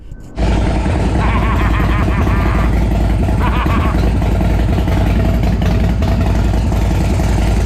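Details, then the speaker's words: Custom motorcycle with big-inch S&S Evolution-style V-twin parked 20 years, no throttle cables, choked: catches after a short crank and settles into a loose, lumpy idle with deep uneven thump; revived and idling. "oh well she started I got to hear it again"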